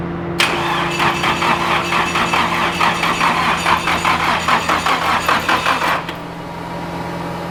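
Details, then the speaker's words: Rebuilt AE86 drift car engine cranking to build oil pressure, with small battery and power cables: starter churns with an even, steady pulse of about two per second. Each compression stroke sounds alike; compression sounds good. "sounds like it's got compression now"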